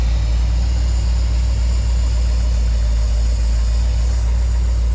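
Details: Squarebody Chevy dually V8 after an HEI distributor rebuild and moving the plug wires ahead one position; previously wouldn't start. Deep, steady low rumble with an even beat and no misses or knocks; normal idle.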